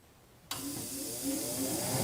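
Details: Queenaire QT Thunder II ozone machine switched on after maintenance (fuse checked and refitted): click, then steady airy hiss and low even hum holding smoothly; unit running normally.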